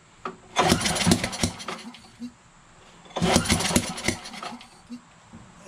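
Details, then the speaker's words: Briggs 550EX auto-choke engine on a Yardmachines MTD 21" push mower, on choke with brake cleaner: two ragged pull-start bursts that fire a few times then die. Spark is present; owner suspects timing is off, possibly a sheared flywheel key or the valves. "seems like the timing's off that could be the valves see that we're getting a spark for sure but the timing is off maybe it's a shared keyway huh what do you think of that"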